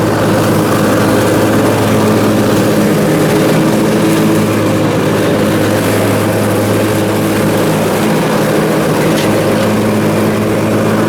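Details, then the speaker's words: Briggs Intek M44 twin after a carburetor teardown, clean and full reassembly: a steady, even drone at constant speed with no misses, surging or knocks. It sounds much better than before. "now it's fired up sounds way better anyhow well that's good"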